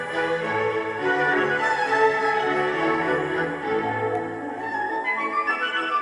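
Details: Philips 060 MK2 car cassette player with an electronic motor control system, not the old governor motors. Music plays back at a steady pitch with no wavering or warble. Steady, healthy tape playback.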